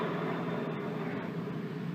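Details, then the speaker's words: 2005 Polaris Ranger: steady rough droning hum with a low growl from a worn front wheel bearing with too much up-and-down play, before replacement. "noisy it is as you can tell the old bearing has got way too much play in it up and down"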